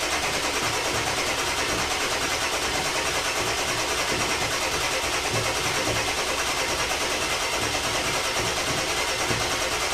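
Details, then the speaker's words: 2000 Ford F250 7.3 Powerstroke on first start after new stage 1 injectors, glow plugs and UVCH, with the high-pressure oil system bled off and fuel rails empty: long, even starter cranking with no catch. "hopefully it goes well it's probably gonna take some cranking so it'll be crank it for 20 30 seconds give the starter a break crank it again give the starter a break"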